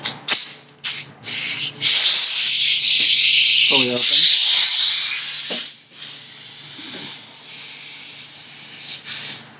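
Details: Astro Pneumatic 7856 air-powered cooling system pressure tester on shop air, set to about 15 psi: loud steady high-pitched hiss fading as pressure builds; air apparently leaking at the connector, suspected, not confirmed.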